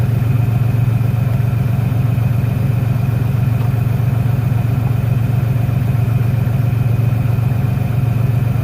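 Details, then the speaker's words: 1996 Ford Ranger 3.0L V6 lacking power, lumpy pulsing idle; during a cylinder balance test, pulling this plug wire changes the engine sound, so this cylinder is firing; one cylinder dead, misfire. "al desconectar este cable ese cilindro ya no trabaja se nota un cambio en el motor eso me dice que es el cilindro si está trabajando"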